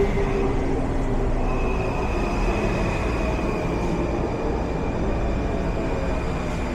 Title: WMATA 6000 Series Train pulls into College Park Station. Making a weird noise. #train